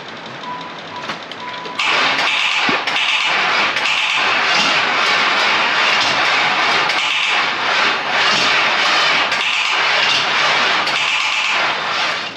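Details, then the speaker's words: Chevy Camaro Z28 LT1, being rolled over to pump up the lifters before the coil is reconnected: harsh metallic grinding about four times a second while cranking with no firing, caused by missing flywheel teeth. "It's gonna run like complete garbage if it does run. All that noise that you hear, that grinding, is teeth missing on the flywheel."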